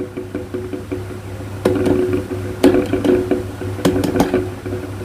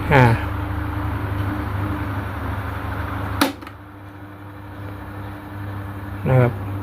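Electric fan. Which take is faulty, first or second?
first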